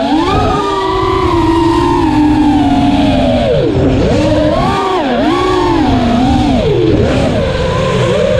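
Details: Armattan Rooster drone after a vibration fix: clean motor whine swooping smoothly with throttle, with no strong vibration or shudder above mid throttle. Normal motor sound.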